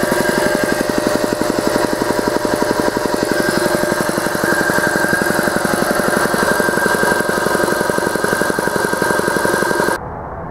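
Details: Free large air compressor, about 1973–74, with worn belts and a leak; steady, even chugging near four beats a second with no knocks or squeals, pumping normally, then shuts off.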